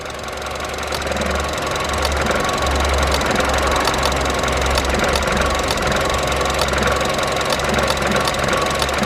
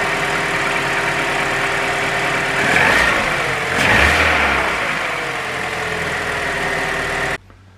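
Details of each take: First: Vauxhall Adam (Opel) running badly after trouble on the way to work: rough, lumpy idle with sharp irregular clicks about once a second, a misfire from a failing, sick coil pack that is to be tested and replaced. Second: Vauxhall Adam petrol engine after coil pack replacement (same coil type as Corsa and Mokka) idles smoothly and evenly, with two brief rev blips and no misfire stumble; normal idle.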